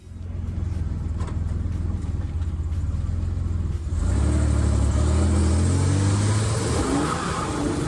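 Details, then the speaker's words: 1984 Buick Grand National turbo after 42 lb injector, Turbo Tweak chip and 1987 ECM swap to fix starting hesitation; smooth, even engine note building cleanly as the car pulls away, no misfire; now running reliably. "so here it is finally running reliably"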